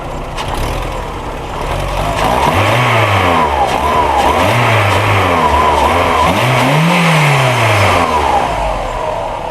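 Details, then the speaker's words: Old VW Polo 1.4 L petrol, running again: revs rise and fall cleanly in repeated blips, smooth pitch sweeps, no misfire or stumble; healthy running. "Bon, c'est bizarre, mais j'aime bien entendre cette mélodie-là."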